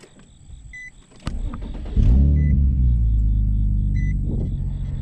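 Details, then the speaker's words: 2007 Infiniti G35 coupe, VQ V6, 194,000 miles: door chimes, then the starter catches and it settles into a steady, smooth low idle without misses. Normal start and idle. "Oh yeah, she sounds good. Let me give you guys a rev."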